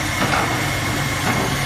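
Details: 1967 Ford Mustang started by bypassing a bad starter solenoid, with a little throttle: steady lumpy low rumble with no knocks or misses, settling into a normal idle.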